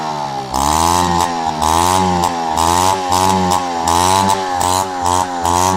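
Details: Peugeot 103 RCX moped two-stroke, first start after full engine rebuild and carb cleaning: crisp buzz climbs cleanly through repeated blips and drops back to steady idle; healthy and responsive.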